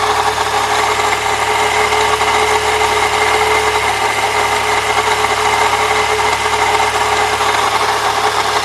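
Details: 1998 Saturn SL2 DOHC petrol engine idling with a constant rough grinding from the belt drive over the hum; idler and tensioner pulleys already replaced without change, noise seems gone without the belt, not worse with A/C on.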